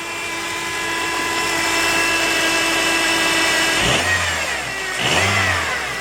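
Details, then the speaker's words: 2006 Honda Element after engine rebuild and reinstall, faulty injector issue resolved: steady tone then two quick clean throttle blips rising and falling smoothly, no misfire or rattle; normal rev, super smooth. "oh yeah super smooth"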